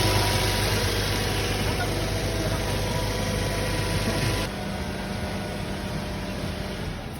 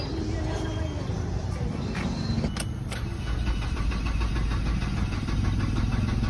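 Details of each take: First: Ford Escape that would not start, after fuel pump assembly removed, tapped and refitted: starts on one click and holds low steady idle with no misses, knocks or surging; normal idle. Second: Ford Escape broken down overnight, cranking: starter turns steadily and fast but the engine never catches, no fuel delivered; fuel pump at the tank removed and replaced, after which it started.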